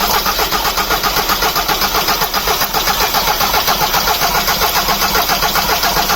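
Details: Car engine clattering loudly and feeling like it runs on only three cylinders; sharp clatter of about two to three knocks a second, like a worn crankshaft bearing. Suspected engine damage; valve cover removed to check clearance before teardown.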